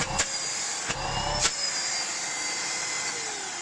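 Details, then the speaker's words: Miele Complete C3 Total Solution PowerLine 890W vacuum, used, fully cleaned, new filters fitted: a few handling clicks at the start, then a steady, strong high airy motor rush; very powerful, running normally. "It is very powerful."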